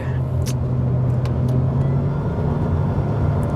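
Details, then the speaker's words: 2021 Honda Civic 1.5 turbo with CVT under hard acceleration at about 4000 rpm on boost: a deep, steady, boomy drone holding one pitch that gets louder but not better. This is the normal sound of this engine. "this is about 4000 rpm and again the engine doesn't sound very very text it gets louder but not much better sounding though"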